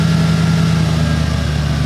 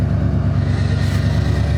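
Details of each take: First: 1990 Ford F150 Lariat 4WD, 351 Windsor V8, after replacing one ECM capacitor (fix for high 900–2000 rpm hunting idle and hard shifts): idle still a little sluggish coming down but drops to 900 then 850 rpm, steady even rumble, no hunting; normal idle. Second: 1990 Ford F-150 Lariat 4WD, 351 Windsor V8, after a short drive: fast steady deep rumble stuck near 1100 rpm, won't drop from fast idle; IAC and vacuum lines fine, owner suspects ECM capacitors.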